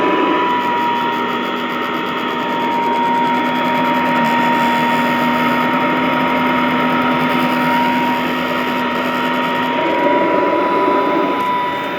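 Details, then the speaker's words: Vintage all-metal Royal Model 153 vacuum, owned 22 years; steady one-pitch motor whine with light, loose rattle on top, from the rug plate, which all of these do; normal running. "Wow, what a great machine. Again, just the only rattle is from that rug plate, and they all seem to do that."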